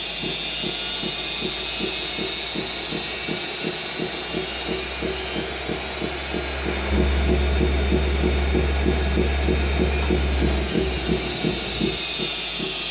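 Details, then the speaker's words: BH Fitness T8 treadmill with a Turdan DC drive motor: a steady high electrical whine rises as the belt ramps up from about speed 5. It is clearer at lower speed over a rhythmic thump; bad motor bearings. "You can really hear it at that lower speed a lot better. But this is definitely a surefire way to tell that there's something wrong with your motor."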